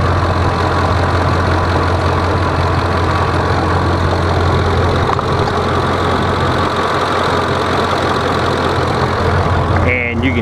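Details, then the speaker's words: 2005 Ford F-150 5.4 Triton at idle, not yet fully warmed up: dry, diesel-like ticking clatter rising over the hum, quiet when cold and worsening as it warms, heard at the wheel well; cause not pinned down. "now it's not quite fully warmed up yet but it's already starting to get the noise"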